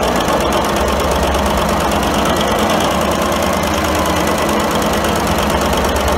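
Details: 1942 Cleveland 8-268A inline 8-cylinder two-stroke Roots-supercharged diesel generator engine, USS Stewart engine room, first start after 72 years idle; loud, even clatter with steady deep drumming, no speed change; normal running.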